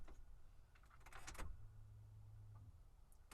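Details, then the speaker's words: 2001 Ford Explorer Sport that fails to start on cold days below 50°F, about 46°F here; key-on fuel pump priming, clicks then a low hum about one second, possibly two hums with a pitch change; owner suspects a weak fuel pump. "come crank it down that one had a change in pitch i'm not sure if anyone if it's noticeable in the recording but it sounded like i heard two hums there"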